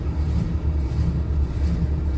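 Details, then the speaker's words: 1961 DeSoto V8, 60,000-mile survivor, running on a remote fuel pump rig just after firing up: low, even rumble with steady pulse and no knocks or misses; normal idle. "You're running great. I love it."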